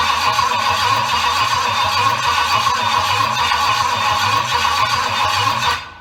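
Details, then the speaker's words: Triumph Stag V8 on its first test after a full rebuild, cranked on a jump pack: steady starter churning at about four beats a second with no firing; there was a fuel leak and fuel not reaching the carbs was suspected; the real cause turned out to be a wrong firing order plus carb settings. "the good news is the jaw pack starts what works really well the bad news is it don't go so a bit more investigation i think"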